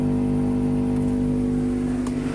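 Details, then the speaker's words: Assembled power amplifier: steady, buzzy mains hum from the speaker when the protection board ground is disconnected; with it connected, no hum even at full volume. "sahabat sudah Kedengaran suara dengungan nya jadi mengatasi dengung ini bagaimana caranya sangat mudah sekali"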